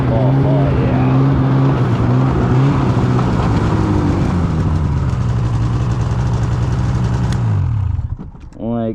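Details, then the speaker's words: 2016 Polaris Indy 600 SP two-stroke snowmobile after fuel filter fix and new Ultimax belt, full-throttle grass drag: high wail holds steady pitch under load, hitting target RPM, then drops as throttle closes; strong clean pull. "the sled's pulling hard you know that belt's working great you know she's running good"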